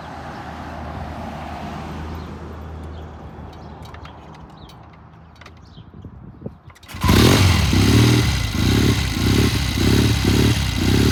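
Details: Cold 1972 Triumph TR6 twin: it catches, then stumbles and surges in uneven pulses about twice a second, breaking up. Rough running that clears once warm; owner plans to check the pilot jet.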